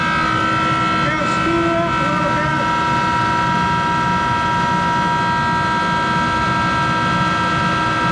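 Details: Monarch 10EE precision lathe 3-phase motor-driven generator DC spindle drive (vacuum-tube rectified) running: constant loud drone with steady whining tones; motor-generator bearings worn and due for replacement.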